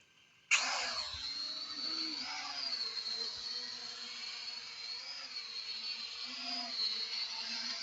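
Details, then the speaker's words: P8 Pro drone after calibration on a level surface, flying: high, steady motor whine that rises and dips slightly with throttle, even and free of rattles; it flies well. "මෙයාට පේන ඇති හොඳට මේක fly වෙනවා."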